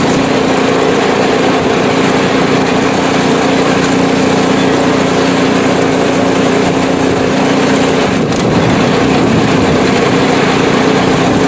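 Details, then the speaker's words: PowerSmart 24" snowblower small engine, ninth season, about 50°F outside, test run on sidewalk; steady, even drone with no surging, popping or skipping; smooth, healthy, performing perfectly. "absolutely perfect performance it did everything it needed to"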